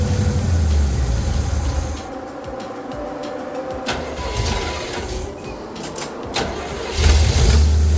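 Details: Small-block Chevy V8 after 1.6 roller rocker install, valve covers off, kept at low RPM: lumpy idle sagging and recovering with uneven beats, no valve rattle; rough idle from vacuum leak at open PCV hole.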